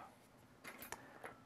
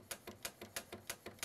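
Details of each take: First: Commodore SX-64 with its built-in 1541 floppy drive, reading a genuine 1541 test disk: quiet, irregular sharp ticks and chattering clicks as the head knocks while failing to read. The drive mechanism is at fault. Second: Commodore SX-64 1541 floppy drive, after cleaning the head and greasing the sticking mechanism with lithium grease: quick, uneven clicking as the head steps back and forth freely, with no sticking or labouring motor. Head movement is now normal.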